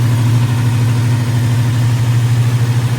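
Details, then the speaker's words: Chevrolet squarebody truck big-block V8 after repair, valve covers back on, idle bumped down, 60 psi oil pressure at 1,400 rpm: deep, steady low rumble with even beat, no ticks or misses; normal smooth idle. "Burning like a kitten. Wow. 60 pounds of oil pressure, 1,400 RPMs, running smooth."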